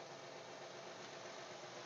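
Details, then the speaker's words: 2012 Honda Pilot at idle after serpentine belt removal: light, fast ticking over a quiet steady hum; owner suspects timing belt tensioner, idler pulley or lifter; ticking noise, cause not confirmed. "I thought was going to be what do you guys think kind like a lifter and again I have a timing belt kit I need to get the belt put on it may be the tensioner you know what it may be the tensioner on the timing"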